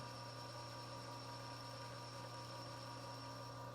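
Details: Lathe under auto power feed facing a pivot bushing for folding knives: steady even hum with no wobble or chatter once the uneven top surface is trued.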